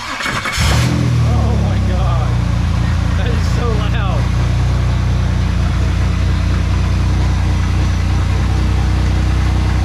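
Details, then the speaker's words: 2002 Chevrolet Camaro V6 cranks, catches and settles into a loud rough idle with a heavy deep knock likened to a rock crusher; badly knocking engine, to be replaced by an LS swap. "Okay so as you can tell it's got a bit of a knock not just a slight knock it kind of sounds like a it's maybe a rock Crusher but hey that's easily fixed"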